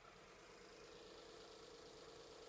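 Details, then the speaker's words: BMW 1 Series E87 N43 petrol engine with a permanent fault code, idling after start: uneven, lumpy beat with dips in the note, jerking badly; misfire. "How extremely it jerks."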